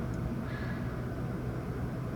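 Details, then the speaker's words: Toyota petrol engine that stalled and hunted at idle, after the fix and computer reset, moderately cold start: even, low steady hum, quieter than before, dropping to a much more normal idle instead of about 1,500 rpm. "it is a lot quieter though from like complete cold there you go now it's dropping a bit yeah that usually would take a lot longer that's a much more normal idle"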